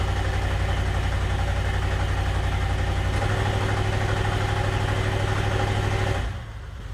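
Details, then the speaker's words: GM 5.3L LS V8 swapped into the Sub-100, in gear under load: deep, lumpy beat with uneven stumbles staying rough as load builds; scanner shows misfires on cylinders 5 and 6, coil pack swap planned to see if misfire moves. "unfortunately cylinder six and five are both showing misfires it feels a little cleaner than it did last night but in gear"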